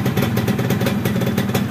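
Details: Yamaha F1ZR two-stroke that stuttered (brebet) and kicked back on the kickstarter; owner suspected the CDI. After fitting an original Yamaha CDI, it runs with a crisp, even crackle at a steady quick beat, with no misses or spitting.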